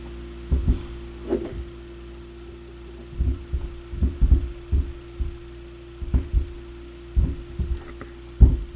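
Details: Sony PS-X70 turntable playing through a garage stereo; constant low mains hum under scattered handling thumps, intermittent hum and one lost channel blamed on faulty RCA cables, which are replaced.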